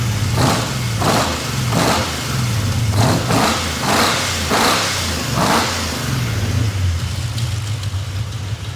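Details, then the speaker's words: Nissan VK56 V8 with eight individual throttle bodies, tuned, in a 1971 Nissan Skyline 2000GTX, first start, revving in bursts; sharp ticking on each rev from an exhaust header leak where a header bolt was cross-threaded. "Sounds good, except for that leaky header that you cross-threaded the bolt. Don't tell anybody."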